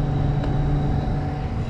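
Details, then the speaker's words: Sub-Zero refrigerator not cooling, after condenser fan motor replacement: steady low hum of constant pitch, no rubbing or ticking; new condenser fan running smoothly with good airflow. "we got good airflow now so hopefully this thing works let's give this thing a chance"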